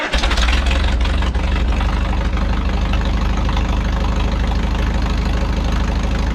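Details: 1951 Farmall M tractor idling after oil change and five new handmade spark plug wires: slow lumpy idle with deep uneven beat; owner chasing intermittent knock, none distinct here; new wires had no effect, no coolant found in oil, cause unknown.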